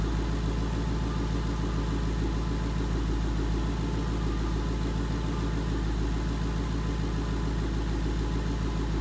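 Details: 2011 Mustang GT 5.0 Coyote V8 with Roush exhaust at idle after replacing all rod bearings and rod bolts: steady, even idle, deep burble with echo, no tick or knock; the earlier bearing knock is gone, engine healthy.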